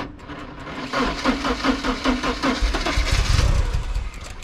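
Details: First start since 2014: quick uneven cranking beats, about two or three a second, then catches and settles into steady idle; normal start.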